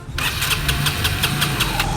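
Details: Raider 150 motorcycle with hard starting and an unstable idle: single catches and pulses about six times a second, with an uneven, lumpy beat; cause unclear.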